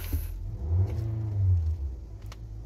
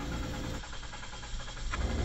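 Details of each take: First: 2023 Nissan X-Trail that cranked but would not start, after replacing the fuel pump under the seat (the grounded pump kept blowing its fuse). Engine starts, idles low and steady, picks up smoothly in two clean blips; normal running. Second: 2023 Nissan X-Trail, crank but no start: the starter churns at a quick, even rhythm for about a second and the engine never fires; diagnosed failed fuel pump, replaced through the access under the seat.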